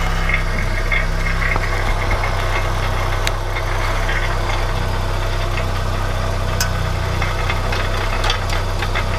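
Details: VW Golf 1 Cabriolet petrol at steady idle: a faint, loose, tinny buzz from underneath. It comes from inside the catalytic converter, which is not holed.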